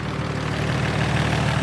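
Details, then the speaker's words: Nissan G35 idling outside during an AC recharge: steady idle with a fast, light ticking following engine speed, which the owner says is a lifter he plans to fix; lifter tick. "i know you hear that ticking sound it's the lifter don't worry i'm going to fix that soon"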